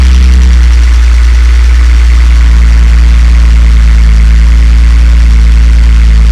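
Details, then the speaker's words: BMW E46 330ci that kept cutting out, after the sticking idle control valve was freed up: a heavy, steady low idle rumble holds evenly without stumbling or dying; now idling properly. "Bloody gone and fixed it. Wasn't expecting that."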